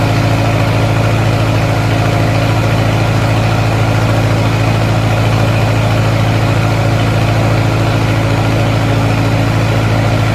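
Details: 1950s Lincoln first start in an unknown number of years after carburetor rebuild; fires right up and settles into a steady, even low rumble with no misses or knocks, a smooth healthy idle.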